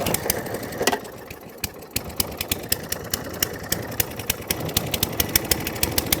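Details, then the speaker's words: Atco Balmoral 20S, after adjusting bottom bowl jet: small single pops unevenly with irregular gaps, stumbling and hunting; runs slightly better off choke but still wants choke, likely needs carburettor clean. "Right, so even with adjusting the jet, it ran a bit better off choke. But it still likes to have a bit of choke."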